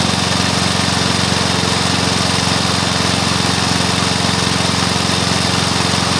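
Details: Briggs & Stratton mower engine (believed early 1984), first start after rebuild with new piston, rings and valves for oil consumption (loose rings, worn valves); steady even single-cylinder bark at constant speed, no knocks or misses; normal running.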